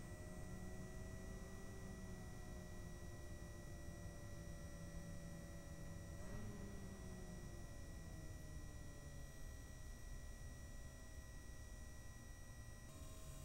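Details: AMD Radeon R9 Fury X from the initial batch with known-bad pumps: several steady high whistling tones that bend briefly under load, a noisy cooler pump whine.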